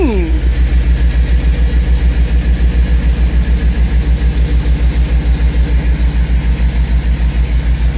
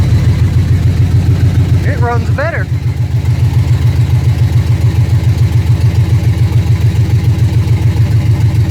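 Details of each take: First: 1979 GMC C15 V8 after exhaust welded and both front O2 sensors installed: lumpy idle, steady low pulses about three and a half per second with a faint puffing tick; quieter, but a small exhaust leak is still suspected. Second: 1979 GMC C15 V8 on a swapped computer running on mass airflow, with the exhaust not yet finished. The idle is even and steady with a regular low pulse and no misses or stumbles, and it "definitely runs better, smoother": normal idle.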